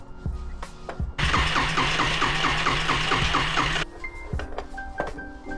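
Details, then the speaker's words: Yamaha Riva 125 scooter with good spark confirmed and compression thought good, plug refitted: starter whirs quickly nearly three seconds but never catches; engine flooded, carburetor smells of bad gas and is missing its pilot jet. "Oh yeah, she's flooded."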